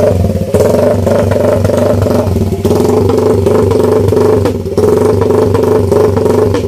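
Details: Idle after basic NK ECU tuning, with the idle roughly dialed in but not yet confirmed. Steady, even, smooth mid-pitched drone with no misses or surging. Normal idle.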